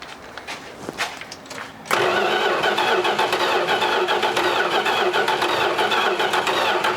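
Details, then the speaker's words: 1986 Dodge Ram D100 barn find, sitting 15+ years, cranking evenly at about three and a half beats a second with no firing. No spark is found: the coil gets power, but owners suspect the electronic ignition or the computer. "huh nothing hmm yeah it's no spark I'm not getting shocks"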